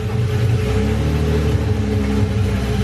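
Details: BMW E28 528e swapped to an M30B35 with individual throttle bodies on standalone wiring, first start after main relay and wiring trouble: deep, steady low rumble, even beat, no misses or hunting; idling cleanly.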